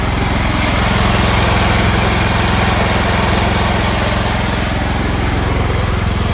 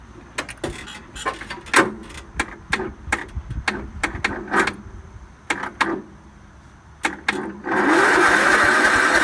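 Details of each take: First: John Deere L110 automatic lawn tractor with a Kohler engine, sat 5 years, running after a full carburetor clean and gas tank flush, jump-started. The single cylinder runs at a steady, even beat with no misfires; normal running. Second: John Deere L110 automatic lawn tractor, Kohler engine, sat about four years, jump-started: scattered clicks then steady churning crank that never catches; little gas in tank and none in the fuel filter, so no fuel reaches it.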